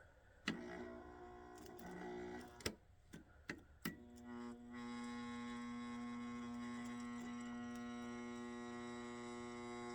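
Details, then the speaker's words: 175 W mercury vapor ballast whose coil winding lead broke inside the spool and was pushed back in: a few handling clicks, then a steady low electrical hum holds as the loose lead is pressed and the bulb flickers; poor winding connection. "when I actually push on this and it makes a better connection you can actually hear the hum and also when I did that the light bulb wanted to come on I saw it flicker"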